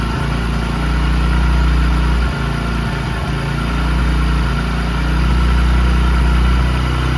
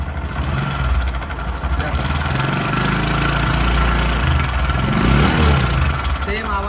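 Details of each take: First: Discover 100 (BS3) single idling after timing chain replacement cured a chain noise: steady, even low putter with no tapping or chain rattle on top; sounds smooth and healthy. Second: Bajaj Discover 100 BS3 motorcycle, before repair: loose rattle at about four beats a second rides over the idle and blip; worn, stretched timing chain, tensioner tightening failed, fixed by replacing the chain.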